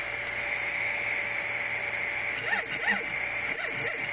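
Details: Replikeo Prusa i3 Z motors, unloaded, jogged from the LCD on uncalibrated Replikeo Marlin firmware; motors not hot, other axes fine. On fast 10–20 mm moves a steady high buzz gives way to paired rising chirps as the motors turn, pause and lock up. Stepper buzzing and stalling.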